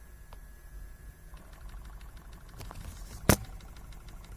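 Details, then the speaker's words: Porsche 986 with the engine idling: faint rapid ticking/knocking under the passenger-side dash after a switch click, from the HVAC recirculation flap servo, whose main gear scrapers on the circuit board were bent; toggling recirculation silences it. "today i found the culprit to my 986 knocking sound underneath the dash like here it's unlocking sound coming and i found out it's the servo motor"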